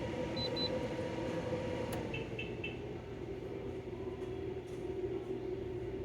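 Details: De'Longhi Pinguino portable air conditioner, model PAC AN370G1W, on full blast and cooling well: steady quiet fan rush with a few short control beeps near the start, no rattles or grinding; running normally.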